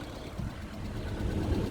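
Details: Vauxhall Astra H (mk5) that had been leaking oil, starting and settling into a smooth, even low idle right after start, with no knocks or ticks; engine sounds healthy.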